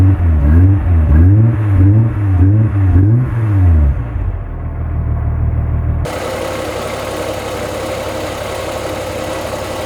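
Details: 2.8L VR6 Golf Mk2 petrol, not MOT'd since 2011, revved and idling after new spark plugs and HT leads; still slightly uneven, sounds better but not right; misfire later solved with plugs, HT leads and new fuel hose.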